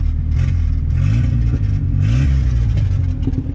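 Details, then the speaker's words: VW Gol turbo (AP engine) with the belt off: the engine revs up and drops back cleanly with no squeal or rattle from the front; the noise is gone, confirming the water pump as the cause, to be replaced. "não tá nem fazendo barulho mais, mano. Mano, é a bomba d'água mesmo, família."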